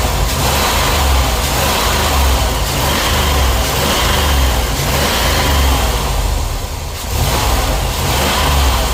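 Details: Engine after misfire traced to cracked ignition coil with spark tracking; new coil, cap, rotor, spark plugs and wires fitted: revs up and settles about once a second, smooth and even with no stumble; healthy.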